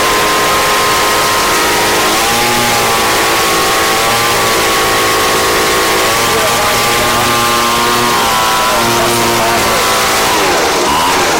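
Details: Craftsman 29cc two-stroke blower, previously a no-start missing its spark plug and fuel, running on a Chinese aftermarket carb-kit plug: high buzzy drone holding steady, pitch dipping and recovering slightly every couple of seconds; runs fine.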